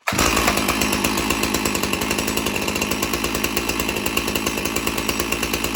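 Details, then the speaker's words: One of two free chainsaws, still holding up after months of use: starts at once and settles into a quick, even two-stroke buzz with regular firing, no stumbling. Normal running. "And I'm definitely very pleased with them the way they ran. And they both been holding up so good for so long after I had them for about a few months."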